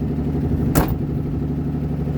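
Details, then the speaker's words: 1981 Mercury Capri idling: a rough, puffing low rumble with one sharp thump from an exhaust leak; it has a glass pack underneath that is not welded in properly. "So yeah, but you can hear it's not 100%. Like, it's okay. It's got an exhaust leak."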